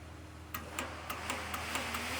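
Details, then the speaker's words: Carbureted truck, temperature gauge at 200–210 with the fan sensor wire jumpered to ground: sharp, evenly spaced clicks about four a second over a low steady hum as the radiator fan relay switches on and the fan runs; the sensor is suspected faulty. "It works now. Relay clicks on. You can actually hear it."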